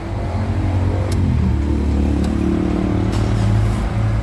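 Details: Diesel vehicle after alternator repair at shop, battery and fuel-water separator warning lights now go out: steady low diesel rumble, even firing, no knocks or squeals; normal running, charging system working.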